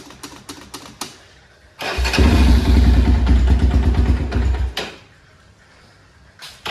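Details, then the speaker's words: Rebuilt ATV engine (new cam, new rockers, lapped valves, stock Keihin carb, OEM fuel line): fires after a few cranking taps, then a throaty steady run with short blips, revs climbing lazily; low power, owner suspects timing skipped a tooth. "okay but it just doesn't have as much power it should have I feel like"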